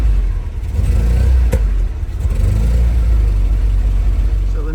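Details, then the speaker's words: Opel GT running poorly after producing steam, stalling every 2–3 miles; revs pull flat and hesitant with sharp popping and lack of power; plug gap found at 0.7 versus 0.3 in the book, suspected contributor. "After all that messing around thinking we'd got the thing sorted, we've now got that lack of power again. Hear it popping."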